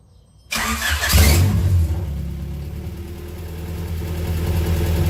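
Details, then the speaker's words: Honda Prelude that sat for a while, first start with the engine harness fitted as-is, alternator off, battery loose: brief crank, catches at once, steady even idle, no knocks or misses; no leaks, about 40 psi oil pressure, no check engine lights. "Alright guys, I don't know if you can hear me, it's kind of loud, but car's on, no leaks anywhere."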